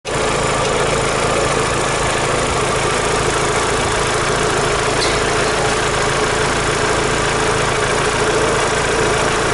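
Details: Daewoo Lanos 1.6 16V at idle after a head gasket replacement and head resurfacing: faint light knock riding on the engine note; fine when cold, knock found after driving home; owner suspects the mechanic's work or a failed roller.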